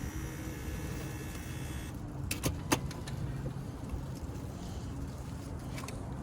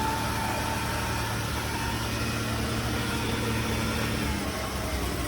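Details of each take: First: Auction vehicle: a few sharp clicks at key turn with no cranking following. The starter is not engaging. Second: 2009 Chevrolet Impala V6 at city auction, started right up on a jump box; smooth even idle, steady low hum, no knocks, misses or hunting; sounds pretty good, normal idle.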